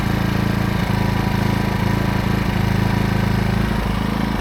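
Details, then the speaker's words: New AiVolt 1600 W gas portable inverter generator on its first start, choke on: a small engine catches and holds a smooth, steady, very quiet fast idle with no misses; it runs properly. "So, it should fire up. Wow. Pretty awesome. Super quiet, too."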